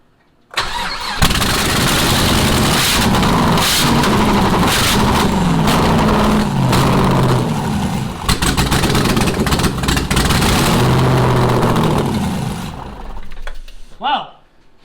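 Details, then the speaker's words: Rally Camaro project car running after being hooked up to run. The engine fires hard and revs unevenly for about twelve seconds, then dies abruptly with faint sputters; the owner suspects it may be out of fuel. "I didn't expect it to shut off but we might be out of fuel"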